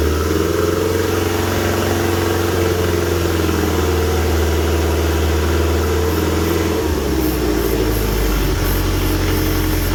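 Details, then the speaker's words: Toyota Corolla KE25 carburetted engine, fresh fuel and spark, run on brake cleaner fed into the carb: drones unevenly with a hunting, lumpy beat, doesn't rev nicely, carb stuck open at first; owner suspects timing is out; rough running. "there you go it does run that is quite surprising so it doesn't rev very nicely and the um carby actually got stuck on at the very beginning there so i think the timing's probably out because it it runs pretty badly"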